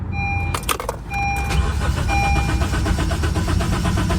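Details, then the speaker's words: 2019 natural-gas (CNG) Honda Civic ex-fleet car with fuel showing on the gauge. Steady starter cranking at about three and a half turns a second with no catch or fire; owner suspects the immobilizer, a bad fuel pump also considered. "There's something else going on. That sounds like an immobilizer."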